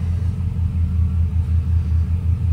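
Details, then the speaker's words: 2006 Chevrolet Silverado with a used 5.3L V8 swapped in from Marketplace, first start while filling coolant, transmission not yet connected: deep, steady idle with no ticking, unlike the old engine's ticking noise. Normal idle. "I mean it's definitely running good there's no real noises like it was on the old motor definitely not that ticking noise so it's already better"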